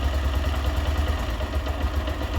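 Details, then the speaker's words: Honda Titan 125 (Titan 2000) pushrod engine after replacing camshaft lobe, rocker arm and rocker shaft: steady low single-cylinder idle putter, valve tapping gone, quiet like a new engine; idle still to be adjusted. "vou ligar ela aqui para ver como ficou o motor ficou bem silencioso"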